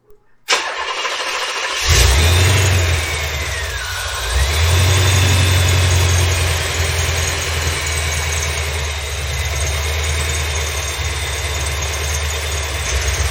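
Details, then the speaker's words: 1987 Corvette C4 after the belt tensioner was rebuilt, with the belt unchanged: the engine settles to a steady idle with a thin chirping squawk riding over it; still squealing, and the serpentine belt itself now seems the source, possibly the tensioner too. "okay so it's still squawking I did not check this normally I do beforehand to see if that's what the squeak was"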